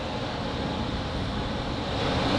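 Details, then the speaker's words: DIY shop fan built from a recycled HVAC squirrel-cage blower with a quarter-horsepower motor: pressing the damper beam down ramps it to high speed, a steady, even air rush and smooth motor hum building slightly louder; running normally. "as soon as I press down on it [Music] you can hear it ramped up to a higher speed"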